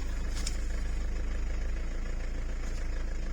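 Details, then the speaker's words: Mitsubishi Delica/Pajero 2.8 diesel idling smooth and steady in the cab with no foot on the throttle, after tightening the slack throttle cable and adjusting idle speed; previously the whole vehicle shook. "this is so much better before the whole thing was just shaking"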